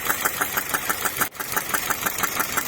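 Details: Peugeot 206 1.4 after a timing belt change: sharp regular ticking about six times a second over the idle, tracking engine speed; cam timing is off and the valves are touching the pistons.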